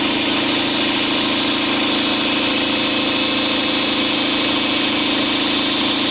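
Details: 2012 Chevy Silverado 5.3L V8 with Active Fuel Management idles with a steady, light, even ticking knock: the number four cylinder intake lifter has collapsed and no longer pushes its rocker arm.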